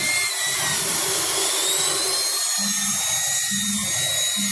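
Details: Ford F-250 V8 idling with misfire (cylinder 7 flagged) and pressure-cooker-like noise: steady piercing hiss with thin whistle from a rear hose; covering it by hand stopped misfire, engine ran evenly; vacuum leak.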